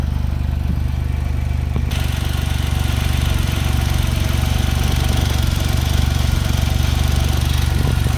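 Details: Smart Roadster engine at idle: a light, fairly even clacking about four times a second over the engine hum; the owner asks whether valves or timing chain are the cause, unconfirmed.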